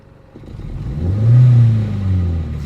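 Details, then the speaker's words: 1995 Geo Prizm at full operating temperature, vacuum gauge connected to an intake port: hard throttle brings a rising rev that sags briefly mid-pull then catches; slight fuel smell noted, owner suspects the intake vacuum line pulled off for testing. "can kind of hear that as I'm hitting the gas kind of hard as I do that. It definitely kind of behaves strangely. But then sure enough, it catches and goes up."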